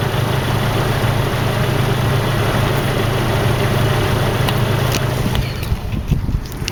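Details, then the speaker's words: 1987 Nissan Vanette van, microphone under the vehicle: steady low rumble with even beat, pitch lifting cleanly with throttle, no knocks or rattles; healthy engine. "so you know it's just a regular car just a regular Nissan doesn't seem to have any leaks on it"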